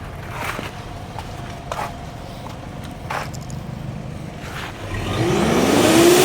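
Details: Mitsubishi Pajero Sport diesel with black smoke and poor acceleration: idles roughly, then revs climb slowly when blipped, pointing to a leaking turbo hose.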